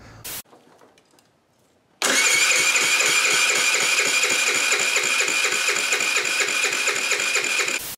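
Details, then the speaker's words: Wolf RX50 Chinese four-stroke scooter, just under 2,000 miles, cranked with a compression gauge in the plug hole: even, fast starter spin with weak puffs and no catch; only about 30 psi against roughly 150 normal, suspected blown engine. "all right so this thing makes about 30 lbs of compression that is way way way low"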